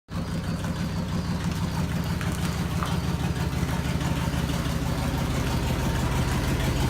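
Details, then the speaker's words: 1995 Dodge Ram 3500 with 360 gasoline V8, on the road for the first time in about two years, at idle. A clogged catalytic converter blew a hole in the exhaust pipe, causing a fast, even tick over the rumble: exhaust leak. "guys hear that annoying ass ticking noise? That means we gotta fix it."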